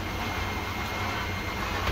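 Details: Dash 8 Q400 APU on ground after bleed valve replacement (prior fault: APU shut down under bleed load), now taking electrical load with ground power off. Steady high-pitched turbine whine over constant low roar, no surging; running normally.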